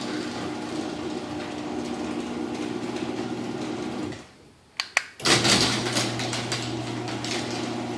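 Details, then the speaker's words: Opener running the small garage door, with its chain dragging: steady motor hum, then a couple of sharp bangs and a louder rough surge at one spot in the travel; the cause is unknown. "and I have no idea what that loud spot on the small door what's causing that I'll run it one more time so you can hear it"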